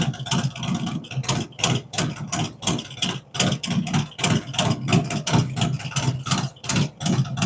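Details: Freshly built V-twin on its first fire-up with a 468 cam, adjustable pushrods, aluminum intake, 5.3 injectors and Thunderx headers: a lumpy, loping idle with steady uneven pulses about three per second, no knocks or ticks; healthy idle.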